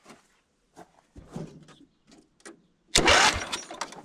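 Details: 1979 John Deere Model 68 riding mower being revived after years unused: short, strong starter spin-up engaging cleanly without grinding following handling clatter; starter works, fuel line still to change.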